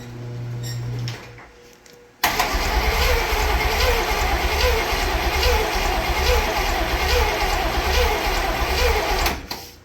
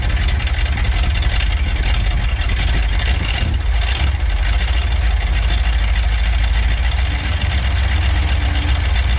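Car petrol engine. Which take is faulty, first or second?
first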